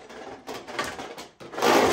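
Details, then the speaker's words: Bush bagless cylinder vacuum cleaner, new, used once: uneven rattling scrape rising and falling as it is pulled across the floor; the wheels are noisy when dragged. "and these wheels make a lot of noise when I pull the vacuum around"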